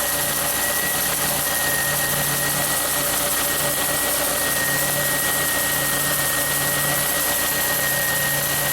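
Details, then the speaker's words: 2006 Ford Escape at idle, battery had been below 3 volts, charging at 14.7 volts: steady idle under a constant faint whine; alternator under heavy load pushing 97 amps into the battery, alternator replacement planned. "97 amps getting pumped into the battery right now that's insane"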